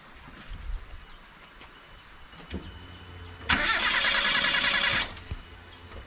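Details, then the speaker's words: Proton Wira, hot after 10 minutes to half an hour running, stalled and won't restart; starts fine cold. Starter whirs evenly for about 1.5 s but never fires. Fuel pump heard on key-on; fuel, spark or compression considered. Cause was a faulty crankshaft position sensor, no spark. "So sekarang ni sebenarnya dia tidak hidup. Ada beberapa sebablah. Petrol tidak sampai, api tidak sampai ataupun compression enjin lah."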